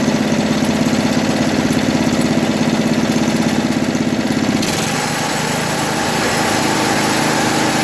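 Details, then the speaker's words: 1980 MTD SnowFlite 5-20 snowblower with a new Qazaky carburetor, mixture screw opened one turn from nearly shut: small single-cylinder engine chugs at a quick, steady idle with even firing; runs properly now. "all right well that seems to have her"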